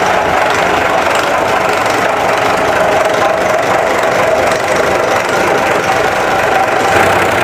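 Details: Isuzu diesel with overheating and white smoke: loud, busy clatter at idle with an uneven, knocking texture and no steady beat; rough idle, cause unknown.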